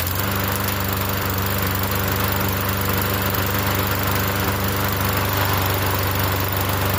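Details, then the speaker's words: Yard Machines 21-inch self-propelled mower, small single-cylinder engine, primed and started on the first pull: steady, even buzz at constant speed with no surging or sputter; normal running. "So I'm going to go ahead and prime it real quick. And it starts first pull too."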